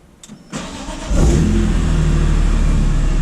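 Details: E46 BMW M3 after installing an AEM 340LPH E85-compatible in-tank fuel pump with retrofit kit, primed then started: brief starter whirr, engine catches and settles into a strong, even idle with no misfire or stumble; normal start, no leaks.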